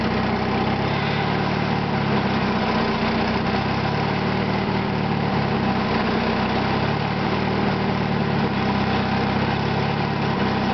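Steady idle with faint, evenly spaced knocks riding under the engine hum at idle speed; a knock whose source is still unknown.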